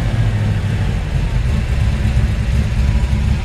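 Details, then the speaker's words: 1954 Ford F-100 V8, still cold, good oil pressure: strong steady low burble swelling smoothly with revs, no knocks or ticks; healthy, though owner thinks timing may need adjusting. "It's still cold, so take a second to crank up."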